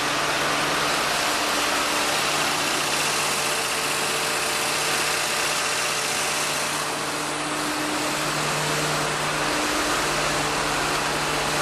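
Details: 1948 Ford F-5 truck, cold start after sitting unrun for over a year, on choke with the throttle pumped by hand: steady, even idle with a smooth regular beat and no knocks or misses; a healthy cold idle.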